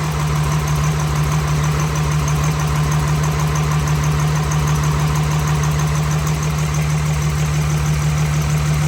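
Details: Second-gen truck after a 5.9 to 6.7 Cummins swap with bigger injectors and a big turbo, first start after cranking for oil pressure: diesel idle with a steady lopey thump about three times a second from one dead cylinder; bad injector misfire.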